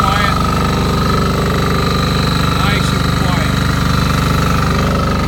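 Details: Fermont MEP-831A military 3 kW 60 Hz single-phase diesel generator, built 2001, rebuilt 2010, 2.2 hours, new oil and fuel, just started after preheat: brisk, even diesel chugging at steady rate, no knocks or misses; normal running.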